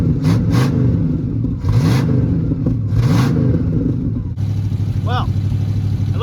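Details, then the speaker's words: Abandoned 1961 Cadillac V8 revived from long storage: runs only with throttle held, revs surging and sagging unevenly, won't settle to idle on its own; weak battery may prevent restart, and smoke appears. "go up there and work on the idols again but uh it won't idle so i can't leave the accelerator pedal if it dies again i don't know if it'll start because batteries"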